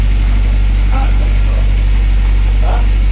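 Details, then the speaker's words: Honda Civic hatch with H22 and newly fitted Accord Type R LSD gearbox, Exedy clutch, lightened flywheel, first start at idle: loud low drone, steady beat about four per second from the gearbox; gearbox oil may need adding, cause unclear. "What's it coming from? The gearbox right there. You have to put oil in it."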